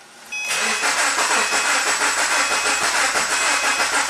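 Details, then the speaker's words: 2009 Subaru Forester crank no-start with no codes after timing belt, plugs, wires, coil and ECU replaced; after swapping two coil plug wires, starter cranks steadily with raspy whir but never catches; suspected flooded, plugs possibly fouled with fuel. "I don't know if it has a clear flood mode. It might be completely fouled out with gas."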